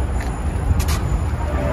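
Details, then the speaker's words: BYD Tang DM-p with chassis noise when steering, after replacing drive half-shaft and wheel hub unit: only low even running rumble while turning the wheel, no clicks, knocks or creaks; no noise when steering. "还没听到声音。没有。没有了。OK了。"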